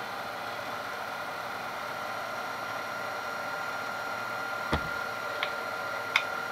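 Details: Rebuilt Denso alternator (Jeep Cherokee XJ/ZJ) on a mill-driven bench test after skimmed slip rings and new brushes, charging a partly drained battery at about 20 A: steady even whir with faint constant whine, no grinding or squeal; normal charging.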